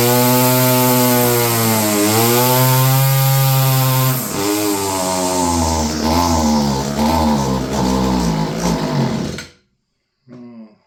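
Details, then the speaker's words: Stihl FS56 curved-shaft string trimmer, about 30 years old, two-stroke: the buzzing engine surges and sags instead of holding high revs, then dies. There is no high speed unless choked. "I think the carburetor's going to be coming apart. Yeah. No high speed, unless you choke it. Yeah, needs carb work, eh?"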